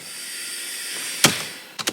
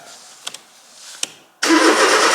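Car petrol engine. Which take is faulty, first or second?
second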